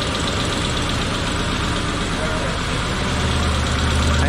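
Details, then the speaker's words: Isuzu Trooper after EGR fix, leaking red transmission fluid, blown head gasket joked about: idle carries an uneven light rattle, roughly four taps a second, over the engine hum; source unconfirmed, Seafoam treatment follows. "Oh, you hear that rattling? Yeah, that's dirty. Let's kill it."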